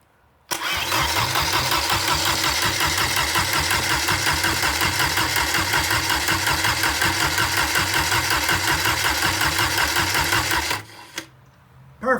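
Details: 1986 Porsche 944 Turbo engine, out of the car, brought in for low oil pressure, run after the starter ground was fixed with heavier wire: catches at once, holds a steady even idle ten seconds, shuts off cleanly; oil pressure now good.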